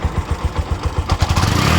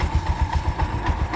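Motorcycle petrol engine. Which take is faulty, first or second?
second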